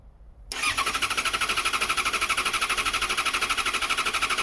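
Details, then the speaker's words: 2014 Yamaha XJ6S Diversion, under 12k miles, stolen-recovered, after cycling the fuel pump: the starter whirs evenly at about three pulses a second but never fires. Cranks, no start; water in the tank is suspected. "No, so we'll cycle it a couple of more times. What I'm concerned is that water got into the tank, so it may be just trying to start on water at the moment, which is never a good idea."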